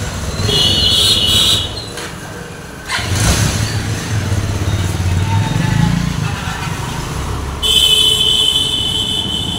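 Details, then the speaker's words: Bajaj Avenger 220 with its engine rebuilt for the second time, on a test ride after all the engine work: pulls away and cruises with a smooth, even exhaust note, no knocking or tapping; bike fully complete, no problems. "तो गा ये पूरी तरह से complete है गाड़ी कोई भी दिक्कत नहीं है बिल्कुल परफेक्ट है"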